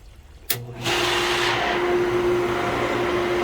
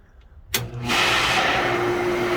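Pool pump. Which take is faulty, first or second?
first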